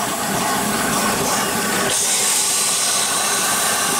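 Continuous steady hiss of steam flowing through, with no knocking or surging and an even tone throughout; the turbine is running normally.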